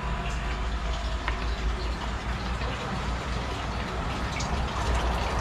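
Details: 220 V, 200 W electric water pump after its failed start capacitor was replaced, with water flowing. A steady low motor hum runs under even rushing water with no knocks or squeal: normal running.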